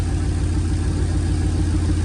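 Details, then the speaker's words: 1937 Nash coupe, 6.0 Vortec V8, new 58 lb/hr injectors, idle 700–800 rpm: low, lumpy, uneven idle with lingering vibration. "I'll have to compare the when I listen to the other video but it still seems to have a vibration to it"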